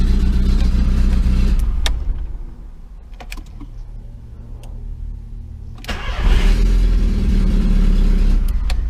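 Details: 2002 VW Gol after starter motor rebuild and injection harness connector repair: engine catches almost instantly on the key, dips briefly, then picks up to a firm, steady idle; a clean start, with fuel somewhat low.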